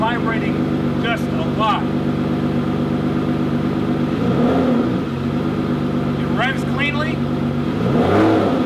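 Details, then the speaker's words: 2009 Aston Martin DBS 6.0-litre V12 after owner-done maintenance, previously vibrating: smooth, even idle, low steady hum, runs on all 12 cylinders with no stumble or vibration; normal idle. "all right car seems like it runs and it runs very smoothly runs on all 12 cylinders i'm not getting any weird vibration"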